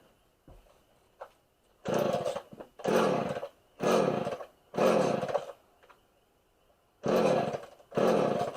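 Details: Homelite 240 two-stroke chainsaw after richly set carburetor (low jet out about eight turns) was adjusted: fires in roaring bursts of about a second then dies each time, surging and stalling; owner suspects too much fuel.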